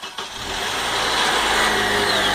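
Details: Car that would not start, tested with the battery reinstalled and the motor back together; a short crank, then the engine catches cleanly and settles into a steady, even idle. It starts normally, confirming the starter was the fault.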